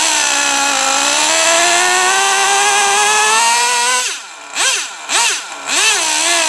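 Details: Traxxas T-Maxx 3.3 nitro RC truck after 8+ years stored, very cold out: high buzz climbs smoothly then blips cleanly with each throttle stab; engine runs nearly perfect, like brand-new.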